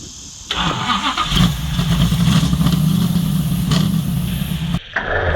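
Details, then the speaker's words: 1970 Charger, 640 hp Mopar stroker V8, annual fire-up after sitting: catches after cranking into a lumpy, stumbling idle with uneven pulses. A stuck carburetor float, the rear one, is suspected. "Looks like we might have a float stuck, bud. >> Yep. I was kind of thinking that was the sound of that."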